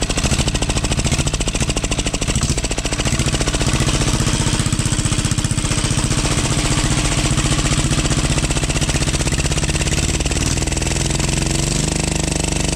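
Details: 12 HP air-cooled single-cylinder diesel, test run after overhaul; it had run once and then become hard to turn (owner suspected piston), valve clearance reset and oil added. Rapid, regular thumping at steady speed with no knock, miss or rubbing. Normal running.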